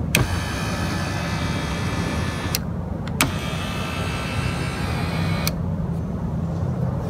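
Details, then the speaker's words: 2002 Toyota Camry driver power seat that had been stuck all the way forward, after the fix: a steady electric whir with soft clicks from the seat motor under the seat, stopping and restarting smoothly, working normally. "Anyway, motor's working again, so if you do have a stuck motor, you can tell that because you'll be able to hear the motor click."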